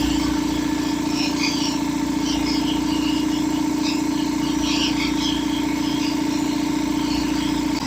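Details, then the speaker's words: Revived long-idle belt-driven air compressor on first run, oil added: steady motor hum with even pump chug about 146 per minute, smooth continuous run filling toward 120 psi; quieter than a Harbor Freight unit, belt could be tighter; normal running. "It's actually a lot quieter than the other one we have, that one from Harbor Freight. And it's building pressure."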